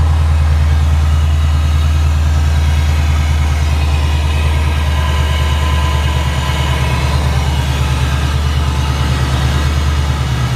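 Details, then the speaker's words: 2012 supercharged Ford Mustang GT 5.0L, just after an oil and filter change with synthetic 5W-20, on jack stands: catches and settles into a smooth, even, low-rumble idle with no knocks, ticks or misses. Normal idle. "Okay, now we'll go ahead and start it up. I'll poke my head under there, make sure we're not leaking any oil from the filter or from the drain plug."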